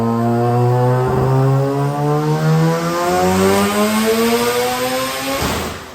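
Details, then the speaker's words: Rotary-swapped Subaru BRZ on a Link ECU, pulled under load to the rev limiter after an earlier fuel pressure drop, matching its previous figure of 350; a smooth buzzing note climbs and drops cleanly, healthy with no misfire or knock. "That sounded nice. It sounded healthy."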